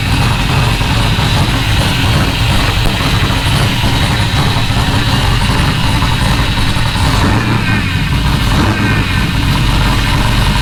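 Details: Rally Camaro LS V8 with no exhaust fitted, first start on new Aces Jackpot standalone ECU, not yet at operating temperature so not self-tuning: loud, steady, even rumbling idle, no misfire or knock; normal idle.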